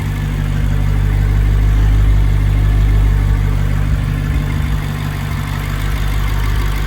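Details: BMW 650i N63tu twin-turbo V8 (stage 2 turbos, F90 HPFP, colder plugs, E40 tune) idling after high-output ignition coils were installed; deep, even burble holding steady, no misses, knocks or ticks, healthy.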